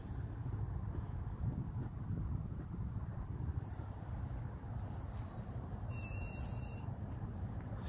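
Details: 2017 Dodge Challenger R/T, no check engine light: a single high, thin beep under a second over steady low engine rumble, random and seemingly from under the hood; cause unknown, owner suspects a tracker.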